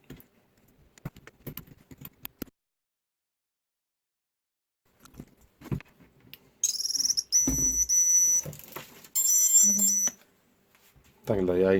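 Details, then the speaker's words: Eachine Falcon 210 Pro quadcopter after teardown and modifications, newly installed buzzer, power-up test: bright, shrill beep bursts after scattered clicks; buzzer works. "Bazer też słyszeliście, że jest."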